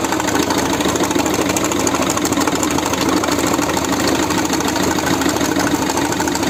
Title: Peugeot 1.6HDI bad engine sound.4 no glow plug probe broken and felt on 4 no piston damaged valve.